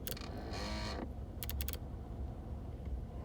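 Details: 2008 Nissan Altima 2.5: brief half-second buzzing whine from the dash under the steering wheel amid dial clicks whenever the temperature is turned up or down, ongoing for a year; intermittent while driving, cause unknown.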